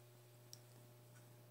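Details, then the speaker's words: Audioque AQ3500D.1 car amplifier, newly received, bench power-up test on a Shuriken battery with a multimeter inline: one crisp relay click over a steady low hum as the remote is switched, then the current reading drops to zero; a normal relay click. "when I take off take the off and you hear the clicking noise must be like a relay in there because when I remove the disengage the remote the relay clicks inside of the amp and it goes back down to zero"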